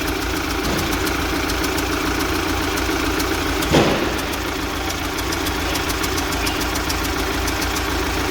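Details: UMZ-4216 Evotech 2.7 Euro 4, 129,000 km: steady idle with sharp regular tick that persists after about 15 ml oil poured into cylinder 1 and keeps growing; head then removed to check cylinder 1 intake valve seat. Valve seat knock.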